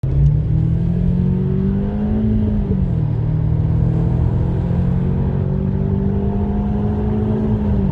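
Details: Audi A4 1.8T with Multitronic transmission while driving; steady low whine over the road rumble, pitch drifting with speed; transmission suspected, not confirmed.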